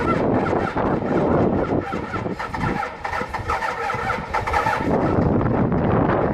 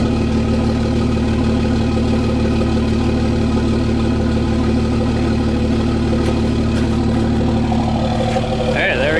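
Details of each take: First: Cummins diesel pickup cold start at −16° after sitting two days unplugged, grid heaters disconnected, good batteries: rough, clattery cranking that catches and runs unevenly with heavy diesel rattle. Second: Cummins diesel truck started at +2 degrees with grid heaters disconnected: steady, even clatter settling into a smooth idle with no lope or hunting, a normal cold start.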